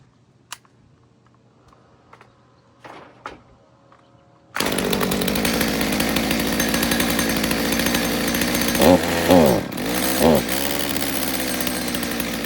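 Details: Stihl MS200T after cracked fuel line replacement, warm, no chain: uneven idle, and each trigger blip sags and stumbles before picking up, a bog on acceleration; low-speed carb jet suspected, not confirmed.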